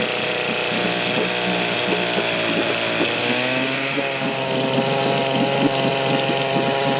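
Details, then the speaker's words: 1972 Johnson Seahorse 6HP outboard (6R-72D), first start in 20 years after fresh plugs and fresh fuel: steady, even two-stroke buzz at constant speed, no misses or knocks; running healthy. "[Music] [Music] [Music] well there you go fresh plugs that fresh gas and she'll fire off every time"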